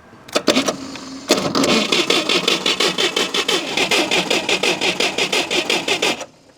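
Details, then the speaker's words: Modified UAZ 469 revived after sitting a long time, cranking with temporary wiring; starter labours slowly in uneven chugs without firing, weak spark; slow cranking, suspected poor connection at the main breaker. "we do have some sparking it's not a very powerful spark but I can also hear the starter is not spinning all that fast so I don't think I have the best connection over here"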